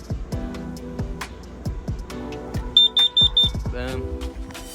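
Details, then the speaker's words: Carbon monoxide alarm, mounted low on the ground beside a newly installed diesel heater, gives four sharp, evenly spaced high beeps on test; the alarm works and is tested weekly. "you have it on the ground then as soon as it starts happening that will go off and yes it does work I test it weekly"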